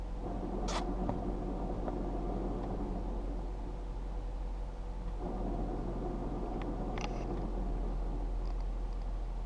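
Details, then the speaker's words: 2010 Jeep Patriot, low mileage, 5-speed manual, at idle: low rough rumble appears as the clutch pedal is raised and goes away with the pedal held down; collapsed clutch release bearing in the gearbox, needs a clutch kit. "The release bearing in the gearbox has collapsed. And that's making that racket."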